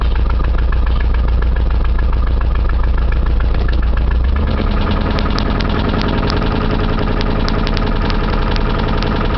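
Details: 1989 Chevy Camaro idling with a dull, regular internal knock of three or four beats a second over the exhaust; owner was told rod knock but cause unconfirmed, engine to be rebuilt anyway.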